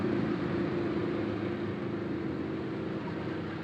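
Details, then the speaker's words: Samsung inverter refrigerator compressor driven from its PCB on a bench test without other modules; LED lights briefly, goes off, then the compressor starts; low steady smooth hum, no knocking or clatter: normal compressor running. "Nah, nyala dia sebentar, habis itu mati. Setelah itu dia akan menyala dan kompresor ikut menyala."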